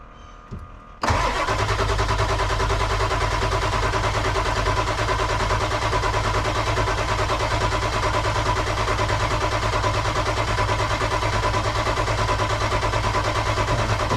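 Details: Ford F250 7.3 Powerstroke diesel after injector replacement, no oil coming out when cranked: starter turns about three even beats per second for over ten seconds, never fires; crank no start, later traced to a bad injector.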